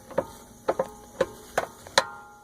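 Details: BMW E90 328i on jack stands, front wheel rocked in and out: sharp metallic clicks about two a second from play in a worn lower control arm joint; lower arm to be replaced.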